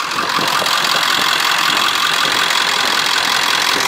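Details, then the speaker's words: Vehicle on its first drive after a list of repairs: engine runs at an even, steady note with no misses or stumbles, shifting fine with no grinding into third; sounds healthy, normal running. "I mean she sounds good she grow good she shifted good no grinding in the third"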